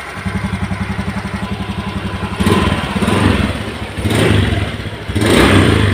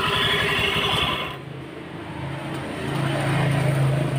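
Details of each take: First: Honda Beat scooter after replacing noisy engine bearings (6205 and 6007): even, soft idle putter, then smooth throttle blips with no knocking or rumble; engine smooth and quiet again. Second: Honda Beat scooter idling with a rough, steady rattle deep in the engine, about four beats a second, persisting with the CVT removed so not belt side; worn bearing, crankshaft or camshaft bearing suspected.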